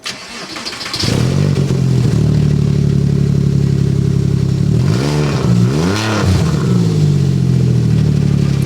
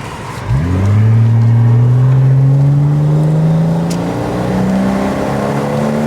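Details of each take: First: Porsche Boxster 986 S: starts and revs with loud raw booming exhaust swelling with throttle; exhaust blow from clamp fully detached at silencer joint. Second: Porsche Boxster 986 S automatic bought from a salvage auction, on a road drive: a clean exhaust note climbing steadily through the revs with smooth power and no misses, knocks or rattles; healthy engine under acceleration.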